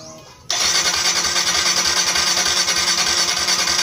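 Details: Motorcycle that starts then dies, after reseating the spark plug: steady churning crank at about three beats a second that never catches; cranks but won't fire, ignition spark being checked, cause not confirmed.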